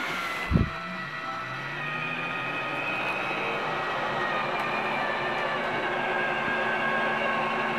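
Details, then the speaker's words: Roof vent fan in a 2015 Tiffin Allegro 36LA gas motorhome: steady, even whir with a gently rising hum as it comes up to speed, no rattle or scrape. The fan is working normally. "it's a fantastic fan it does work fantastic it's not just a smart player on the name um they really do work very well at moving air in or out"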